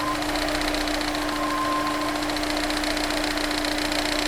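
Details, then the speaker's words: Honda S2000: fast metallic tapping, roughly three or four a second, over a warm idle, like a card in bicycle spokes; a failed OEM timing chain tensioner lets the stretched timing chain rattle. "The best way to describe the rattling sound is like a baseball card in the spokes of a bicycle wheel. In its most noticeable form, it'll be a loud and fast metal-on-metal tapping sound."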